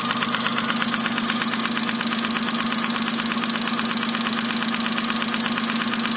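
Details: Daewoo Matiz 0.8 with ignition module, at idle: sharp, evenly timed knocking about three per second from cylinder 1 over steady idle; engine knock, later resolved.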